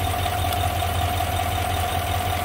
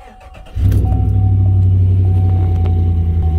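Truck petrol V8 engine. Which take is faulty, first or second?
second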